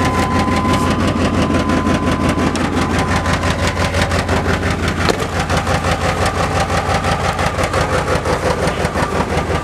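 Loud, raspy idle with an uneven lumpy pulse and exhaust blat; the stumble fits a failing injector spider plus a leaky muffler.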